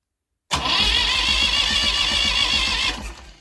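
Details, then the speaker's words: Massey Ferguson 35 diesel tractor that sat in the woods 20+ years, cranking on a replacement starter with a battery needing charge: brisk, even cranking for about 2.5 s with no grinding, much healthier than the old starter. "Well, we got to spin over. That starter sounds a lot more healthier than the last one."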